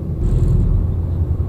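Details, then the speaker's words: Fourth gear at about 35 mph, light feathered throttle: low, uneven rumbling vibration-like shudder with no tone or clatter; transmission shudder, cause not confirmed. "we had to get just a little bit more smooth you'll hear it'll be like a horrible vibration noise so let's see if we get it to do it"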